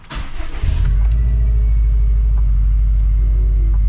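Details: Subaru STI (EJ257) start after new fuel pump install, with a couple gallons of fuel: cranks briefly, catches within a second and settles into a steady, even idle with no misses or knocks; no leaks seen.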